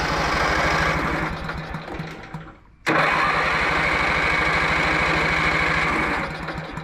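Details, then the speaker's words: Riding mower after rain, with choke, previously running after its muffler patch: engine spins over steadily, pauses, spins again but never catches; grounding or flooding suspected after the ignition coil had earlier been found shorted; a new coil later fixed it. "The coil's shorted out. That's why I've been having problems with the thing."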